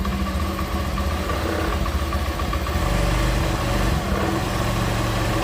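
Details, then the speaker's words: Honda Beat FI scooter after ECU replacement for no spark and no injector spray: starts and idles at a smooth, even low putter with no misses. Idle speed is still to be adjusted. Normal idle. "Nah, dia hidup lagi ya teman-teman. Oke, teman-teman bisa dengar sendiri. Ini hidupnya sudah normal lagi."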